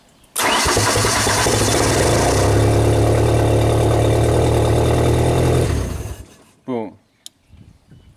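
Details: Old Genie boom lift engine: catches and idles steadily about five seconds, then cuts out abruptly and winds down; stalls after starting, power to ignition coil lost, suspected control-side fault on relay CR3.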